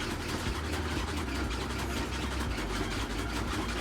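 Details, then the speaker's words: Samsung WA48H7400AW/A2 washer spinning at about 1000–1030 rpm after a fix for shaking; even low rumble with no banging or thumping, still some noise but far less than before; normal spin cycle. "this is way better than before for sure it's still making noise but not as bad as before"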